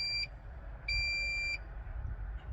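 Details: 2011 Bayliner 185 with 3.0 MerCruiser, Copart salvage boat: two high clear electronic beeps, short chirp then longer tone, over faint rumble as the Hawkeye depth finder, likely a dealer add-on, powers up normally.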